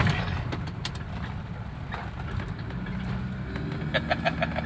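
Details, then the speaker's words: 2000 Nissan Patrol diesel after carbon-cleaning tuning, idling with AC on: steady, even low flat note, no droning or surging; revs now drop quickly and stabilize; engine healthy. "Oh, ini AC hidup. Biasanya besar suaranya itu kok. Kaungian. Iya, ini kan langsung datar tuh lah suaranya."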